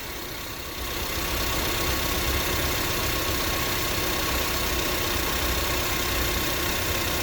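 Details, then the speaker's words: 2004-08 Acura TSX after replacing missing/worn power steering pump O-rings, run five minutes: steady even idle with dense hiss and no whine; power steering pump now quiet, whine fixed. "oh all right so we've let this uh run for a good five minutes and let these seal a little bit and as you hear it is not making the noise any longer so all it took was o-rings"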